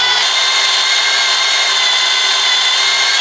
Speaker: be patient it's still going to take a couple of minutes for that drill bit to cut through that linal and that is the perfect speed nice and slow